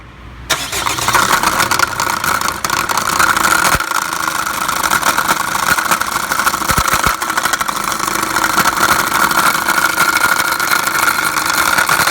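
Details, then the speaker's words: Chevrolet Captiva diesel, around 2012–2013, after a start: loud steady whir and rattle from the front of the engine at idle; the failed crankshaft pulley (harmonic balancer) barely turns, with only its centre hub spinning. "โอเคนะครับชัดเจนนะครับก็คือมูเล่หน้าเครื่องเสียนะครับ"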